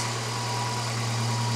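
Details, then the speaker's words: Hot Volvo 240 idling high at about 1100 rpm; the right-hand idle adjustment screw is already at its maximum. The idle is smooth and fast with a constant hum and no stumble, and the mixture is judged slightly rich. "c'est la vis de réglage du ralenti à droite et donc c'est très chaud n'entrera plus, c'est 1100, c'est au maximum"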